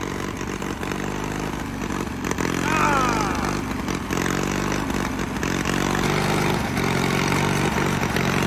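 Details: $500 Caterpillar dozer diesel, parked since 1992, running for the first time after a stubborn start. A steady, slightly lumpy idle at about four beats a second under other noise; it is running normally and pretty good.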